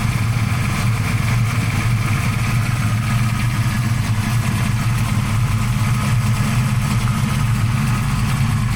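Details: 1992 Fox-body notchback, 347 stroker on Terminator X, just started cold after fixing swapped #7/#8 injector wires: deep, steady V8 idle, even for nine seconds with no misfire or stumble.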